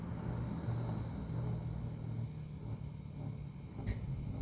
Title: Lian Li TL LCD Fan 2 - 120 Fan makes grinding noise